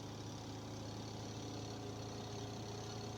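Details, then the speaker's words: Twin-tub washing machine spin motor tested with a load of wet clothes, accelerating to full spin speed with a smooth, steady hum and no scraping, knocking or wobble: running normally. "Ahí está acelera bien ahí se escucha Cómo acelera sin problema no hay sonidos extraños digamos el funcionamiento normal invasivo"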